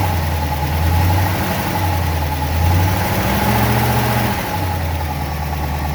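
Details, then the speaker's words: 1963 Studebaker Avanti R2 just started after storage, idle kicked up to keep it running: a steady low idle with gentle rises and dips, no knocks or misfires. This is a normal idle. "kick the idle up a little bit just to make sure it'll keep running"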